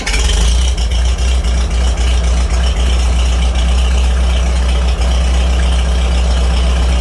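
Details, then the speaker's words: 1949 Farmall H gas tractor after new spark plugs; deep steady low thump at idle, firing evenly with no misfires or top-end rattle; normal idle. "sounds like an H now and no rat attack tat up top either"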